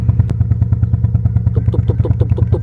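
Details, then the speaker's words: Nissan Almera/March with the engine light on: low, uneven stumbling idle thump at about ten beats a second and engine shake; a leaking or failing ignition coil is suspected. "เดี๋ยวสตาร์ทให้ฟังแค่เสียงเครื่องยนต์มันก็จะสั่นๆหน่อยครับเนี่ยครับเสียงมันจะสะดุดนะครับ"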